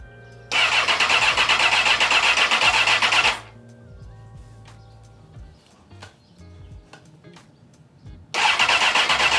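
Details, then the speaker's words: 2002 Honda CBR954RR Fireblade, first start after rebuild, valve adjustment, new plugs and owner-refurbished fuel pump: starter spins briskly about three seconds, twice, never catches; crank no start, no fuel pump priming. "Well, it looks like it's not starting, so let me do some troubleshooting and we'll see what's going on."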